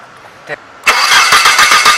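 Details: Car cranks evenly about seven times a second after a click without catching; spark present but no fuel at the rail test point, fuel pump failed.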